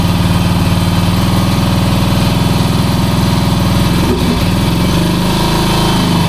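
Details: 1966 Honda C200 motorcycle single, off the road since 1972, on full choke at a fast idle: an uneven, lumpy buzz with a stumble midway. It runs rough, and the owner suspects petrol is not getting through.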